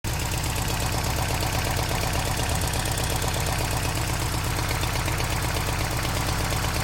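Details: Toyota 22RE petrol truck engine idling steadily with a loose, marble-like rattle running through its even beat.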